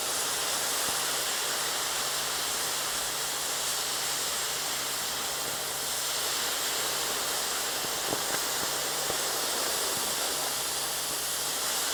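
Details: Torch washing a 7018 weld on shop plate, testing dragging back across slag: even, steady gas hiss with no pops or sputter; burning clean, no trash found.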